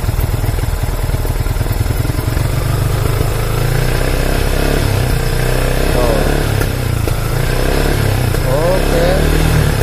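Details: Yamaha Vixion New single-cylinder with an unsteady, rough idle: mid revs still reach the limiter, but when raised higher it drones unevenly, struggles to climb and stumbles as if about to die. It only climbs at about 8000 rpm. Cause suspected, not confirmed.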